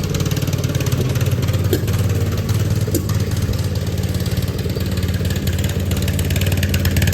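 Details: Riding lawn tractor with new Chinese carburetor: single-cylinder idles unevenly with sharp pops and surging speed, a misfire; owner hopes it is the spark plug, or carburetor adjustment/jetting.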